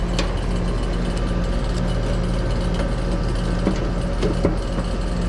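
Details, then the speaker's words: HVAC condenser with 244 volts present, plugged in with no capacitor fitted: steady low compressor hum with loose rattling clatter like rocks in a can; system out of refrigerant, gauge at about -12, bone dry. "I don't know if y'all can hear that sounds like rocks in a can this system ain't got no gas in it yep - 12 she's bone dry"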